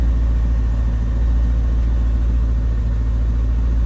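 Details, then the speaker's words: 1999 Chevrolet C5 Corvette V8 started right after an oil change, about 0.4 quarts low: steady, even low idle rumble with no knocks, ticks or misses as oil pressure builds, sounding smooth and healthy. "See the oil pressure building, that's good. Sounds good."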